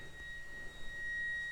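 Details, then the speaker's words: NB2 Mazda Miata with GTR2 LED headlight bulbs fitted in both headlights: faint, constant high-pitched whir of the bulbs' cooling fans, not loud; owner thinks they may spin faster as they heat, sounding like ramping up; normal operation. "You can definitely hear the fans. It's not that loud, but it might be active in the sense that the hotter it gets, the faster it spins. That's what it sounds like. So it's ramping up now."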